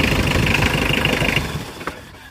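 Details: Mitsubishi Adventure 4D56 diesel with a no-crank, no-start fault, after the faulty starter was repaired and refitted: strong, even cranking for about 1.5 seconds, fading as the key is released. The starter now turns the engine normally.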